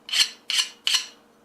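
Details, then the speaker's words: Hand file on a quenched 5160 steel knife blade: after biting through forge scale, three quick thin high-pitched scrapes as the file skates without biting, showing the blade is properly hardened. "see when you first do it it sounds like it's biting in because of the Forge scale from heating it up to critical but once you get rid of that Forge scale"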